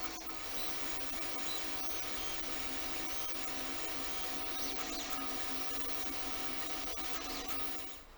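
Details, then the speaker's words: Anycubic Mega X 3D printer, bought broken with PCB smoke, printing a benchy: steady even hum, faint stepper whine, smooth motion noise throughout; drivers heard more than motion system, running cleanly and healthy. "machine, you hear the drivers and not the motion system."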